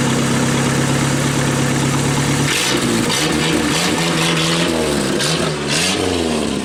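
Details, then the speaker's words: 1988 Dodge Dakota 2.2 L four-cylinder, 5-speed: steady idle, then revs rise and fall with a raspy, blatty exhaust note that sharpens on throttle; exhaust leak because the pipe slipped out of its clamp. "it's right there's about where the exhaust leak is it is getting a little bit soft out fight it sounds so good but I can't leave it like that"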